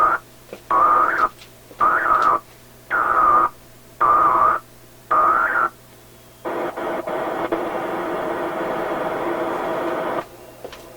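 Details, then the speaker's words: Restored Atwater Kent 944 tube radio: loud on-off buzzing bursts about once a second, then steady hiss; interference from a nearby computer power supply in sleep mode, gone when the computer is shut down or booted. "Only happens when I sleep, the computer. If I shut it down, there's no sound. The power supply is off."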